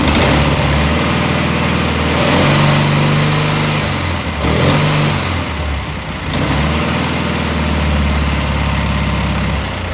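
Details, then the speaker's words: Cub Cadet with Kohler M18 single-cylinder engine after carburetor replacement and air cleaner refit: steady, even thump at settled speed with no misses, surging or knocks; runs well with lots of power. "this M18 really runs well there's no question about it this one here has a lot of wallup"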